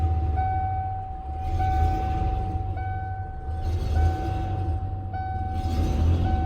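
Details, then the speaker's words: 1994 Ford Ranger with a new clutch kit, transmission and throttle cable, at idle with the gas pedal released: low idle that sags and recovers about every two seconds, as if trying to choke. It idles fine with slight pedal, so the owner thinks the throttle cable needs a little tension. "Right now I'm holding the gas pedal very slightly. I'm like barely touching the gas pedal and it's idling good, but when I'm not, you hear it like trying to choke."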